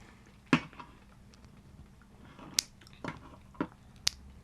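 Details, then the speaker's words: Regular, problem-free JWK Mauve mechanical keyboard switch held next to the microphone: five crisp, separate clicks, each snapping back strongly with no scratch or stick; normal switch return. "can hear how the switch returns very strongly."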